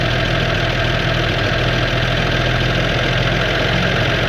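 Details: 1969 Toyota FJ55, first start in 13 years after new correct points installed: steady low, even idle with smooth regular pulse, no knocks or misses; fumes coming into cab; old six sounds healthy.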